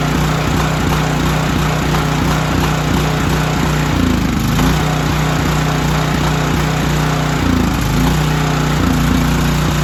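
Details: Storm generator after carburetor repair and cleaning, final start test before draining the carburetor bowl: steady governed speed with a constant hum and a few brief load dips; running smoothly.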